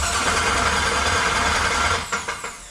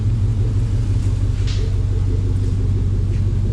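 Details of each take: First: Willys Wagon overlander build, first start with Lone Wolf starter hot-wired: harsh metallic clatter while cranking, then sharp knocks as it stops; flywheel bolts found installed but never tightened, starter to come out to tighten them. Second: Willys Wagon overlander build, run checking the exhaust, torque converter bolts still to be fixed: deep even exhaust rumble, steady pulse near three a second, no miss or clatter; normal idle.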